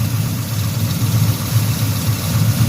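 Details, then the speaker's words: 1974 Chevy Caprice V8, cold and not yet warmed up, after a tune-up and valve adjustment that cured an exhaust misfire: low steady idle with an even rumbling exhaust pulse, no ticking or skips; normal idle. "y'all hear it you don't hear no ticking everything's running like it's supposed to"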